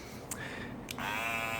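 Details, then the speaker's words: Andis Master cordless clipper snaps on into a loud, coarse, rattling buzz, louder than an adjusted unit, quieter when held; vibration buzz from loose housing lid. "you can hear how much louder this one is cuz I've been that one a little bit"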